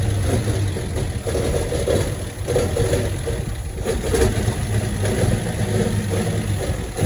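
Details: 1972 Chevrolet Constantia (Holden): uneven, lumpy idle surging and sagging every second or so, engine dies when brakes applied; misfire traced to wrong plug lead firing order and broken distributor cap.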